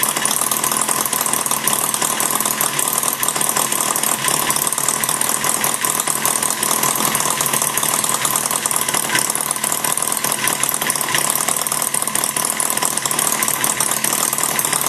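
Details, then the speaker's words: Maier TA4 radial at final tuneup adjustments, run slightly rich, warming up with a little load on the flywheel: steady, even buzz with no misses or knocks, smoother once warm; normal running. "once it warms up it'll win a little better it actually runs a little smoother once it warms up with a little bit of load on the flywheel"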